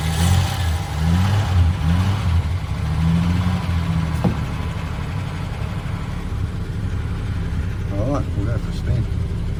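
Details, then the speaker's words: VJ Dodge ute after gearbox fitted, jump-started: low even idle hum, steady beat, no knocks or rattles, much quieter than at startup. "He's going pretty quiet now compared to what it was on startup, too."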